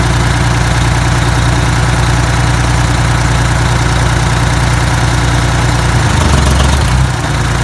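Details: Detroit 6V92TA two-stroke diesel, test run after adding Jake brakes: deep steady clatter, brief rev rising and settling cleanly; oil took a minute to reach the jakes; successful test, runs healthy.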